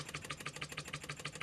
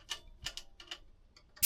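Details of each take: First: Scratch-built Wig Wag wobbler-style oscillating engine: even, quick puffing at about six exhausts a second with no knocks or hesitation; running sweetly. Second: Scratch-built Wig Wag oscillating steam engine on compressed air, earlier recording: rapid uneven chuffs over steady hiss, stumbling; cylinder binding, apparently because pivot point is slightly skewed, running mainly on one corner with wear marks.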